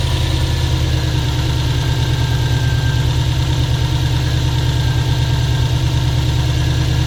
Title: стук мотора "на холодную"